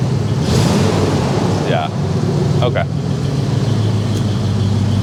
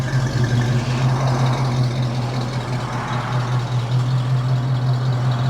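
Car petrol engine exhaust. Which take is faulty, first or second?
first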